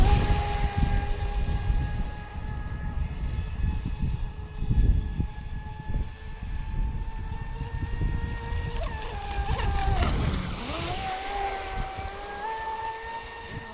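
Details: Traxxas Spartan SR RC boat on 6S, second run after second repair (servo mount replaced, hull bottom repaired); smooth motor whine dipping and recovering cleanly with throttle, earlier crackling noise gone; normal running.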